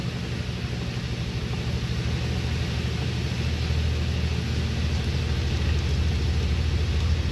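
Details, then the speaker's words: 1959 Frigidaire Custom Imperial Multimatic washer running without clothes or water because the motor capacitor blew, entering high-speed spin (up to 850) as the rear solenoid clicks in: an even, steady rumbling whir with no knocking or banging; normal spin. "And now it's going into high speed. You hear that toonk? That was a solenoid in the back side of the machine that clicked in and it makes it go into high-speed spin."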